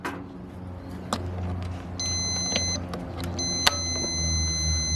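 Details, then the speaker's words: Stanley FatMax jump starter clamped to a lawn mower battery: steady high-pitched beeping with a flashing warning, signalling reversed clamps or a bad ground; here a poor ground connection. "I hear that beeping and it's starting to flash a little warning sign that means your um cables are either hooked up on the wrong the positive on the negative negative on the positive or you don't have a good ground which is this case I just don't have a good ground"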